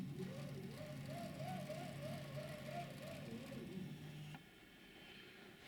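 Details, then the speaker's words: Chinese laser cutter after fire damage, new timing belt fitted and tensioned with a bracket: stepper motor hum rising and falling about twice a second as the head moves, from the small stepper drive pulley running off-centre varying belt tension. "now we're looking right down at this drive wheel which the belt runs round so this is the stepper motor here and it's driven directly off of this very small pulley"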